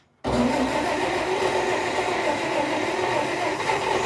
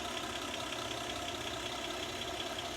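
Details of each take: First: 1947 Dodge pickup abandoned 33 years, tank likely drained, on poured-in fuel: catches and idles rough but steady several seconds, then falters; no fuel supply hooked up. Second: 1947 Dodge pickup abandoned 33 years in a field, running again: steady, even, smooth idle with no knocks or misses, temp gauge steady about 180, almost 40 psi oil pressure, no active drips; healthy normal idle.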